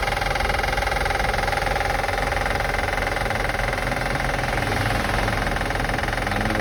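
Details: 2005 Acura TL after starting and running: sharp regular ticking about three to four per second over a steady idle; engine clicking noise being assessed, cause not pinned down.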